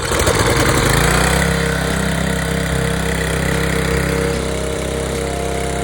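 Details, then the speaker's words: Briggs and Stratton engine on Craftsman pressure washer catches, then settles into a smooth, even putter with no misses or knocks; normal running. "So, as you see, it does work. We test it a bit here."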